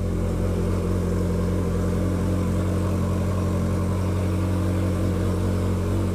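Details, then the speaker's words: 1981 Yamaha XS1100 Midnight Special stone-cold start on full choke after cleaning the idle (pilot) jets: starts right up and settles into a smooth, even low idle with no misses; previously would not idle without choke. "key on just with no throttle input we'll just push the button to start it there we go it starts right up"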